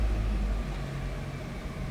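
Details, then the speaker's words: 1999 Chevrolet Cavalier Z24 convertible, 39,953 miles, cold start: a loud first flare easing into a steady, smooth low idle with no ticking or rough running; normal cold start. "So, that was a cold start. You can see over here by the temp gauge."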